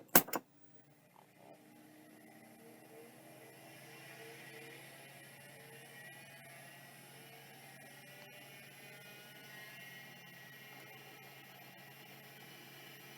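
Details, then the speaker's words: Vintage hard drive being power-tested: a soft click, then a faint steady spindle whine with light head chatter. It spins and seeks normally, though it is having difficulty with the extended seek test. "other than the extended seek test that seems fine"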